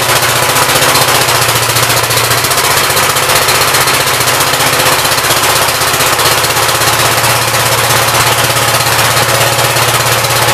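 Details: 1959 Gravely L/LI single-cylinder engine with 20-over piston, oil that drained out mostly water: steady chug at constant idle speed, no misses or knocks; runs well with awesome oil pressure; normal running.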